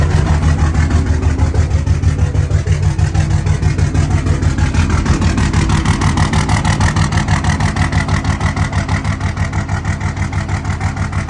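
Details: 2003 Dodge Ram 2500 2WD Cummins diesel, fresh oil change, weak batteries, about 50°F: rough idle, strong uneven loping pulse near three beats a second, no check engine light, no smoke; throttle issue, cause unclear.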